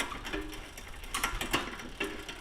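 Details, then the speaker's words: eBike drivetrain after loosening the rear derailleur shift cable tension with the barrel adjuster, tested: light, uneven clicks every half second or so over a quiet drivetrain; chain still ticking against the cog. Chain skipping from incorrect shift cable tension. "still clicking a little bit. So, I'll take a little bit more off."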